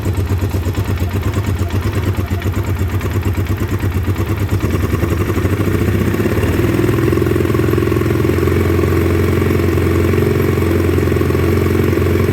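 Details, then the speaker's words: 2009 Polaris Sportsman 800 after long sitting, fuel injection cleaner added: uneven lumpy idle with loose clattery beat, settling slightly; running rough, misfiring at idle, fuel system being cleaned out. "she's not real happy but she's coming back i do have some fuel injection cleaner in her now"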